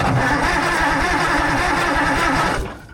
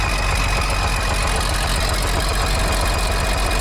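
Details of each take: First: Allis Chalmers 645B loader diesel on a jump pack, injection pump in shutdown position: strong, regular cranking about five beats a second, smoke from the turbo, no firing; no fuel yet, diaphragm pump suspected bad. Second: Allis Chalmers 645B loader diesel after the seized injection pump plunger was freed: steady, even low thrumming idle with no misses on any cylinder; a healthy diesel idle.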